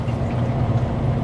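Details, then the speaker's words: Hoshizaki ice machine in wash mode after pump stopped early in freeze cycle: steady low hum with thin trickle, pump running dry; owner suspects it is out of water with a leaking dump valve, or a failed pump. "I put it in wash. It almost sounds like there's no water in there."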